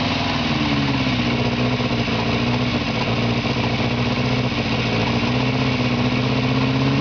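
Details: 1949 Morris Minor low-light four-cylinder, first start after years in a barn, carb fed without fuel line using starting spray: uneven, stumbling idle with missing pulses; misfiring lean as the float chamber runs out of petrol.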